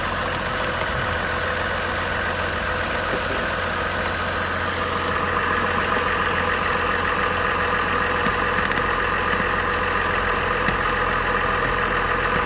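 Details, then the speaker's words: 2005 Buick Rainier six-cylinder after replacing the original ignition coil (about 14-15 years old) for a flashing check engine light misfire, codes cleared: smooth, steady idle with even firing, no stumble; check engine light off; normal idle. "Check engine light is not on. Of course, there could still be an issue, but the engine seems to be running smoothly."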